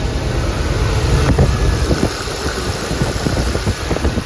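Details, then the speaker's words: 1988 GMC Jimmy K5 with a throttle-body-injected 5.7 350, overdrive automatic, parked 10 years, running again. A loud, fairly steady low idle with some uneven chuffing and no knock or miss; injectors are visibly spraying. "it's so funny to watch those injectors spray you can see the fuel spraying while it's running"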